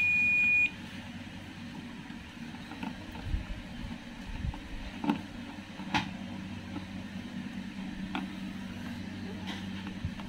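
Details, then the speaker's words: Toshiba 32P2400VJ 32-inch LED TV, blank picture with backlight on: multimeter in continuity mode gives a clear, steady high beep for about half a second across a capacitor, meaning it is shorted. "Coba kita lakukan pengukuran di beberapa kapasitor mungkin ada kapasitor yang short [Musik] Oh ya namanya saya menemukan di sini ada kapasitor teman-teman ya ini"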